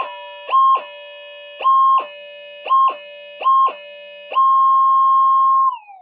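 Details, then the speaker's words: Older pulse induction metal detector modified toward VLF-like sensitivity: clean even beeps, then a long tone gliding smoothly down as the oscillator frequency is swept; started at highest frequency, the phase lock loop stays locked. "it'll stay locked but it's just something you got to keep in mind when you muck around with uh the oscillator you must start it in the highest possible frequency and then you can do whatever you want with it"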